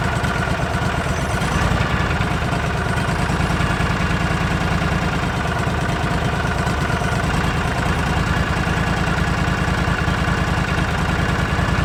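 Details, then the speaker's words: Argo 6x6 with 16hp Briggs & Stratton V-twin, after carburetor cleaning (main jet plugged with rotten fuel): even, low steady idle with no surging; secondary clutch not moving, far better than before. "well that's about 110 better than it was no surging at all see there the secondary clutch isn't moving"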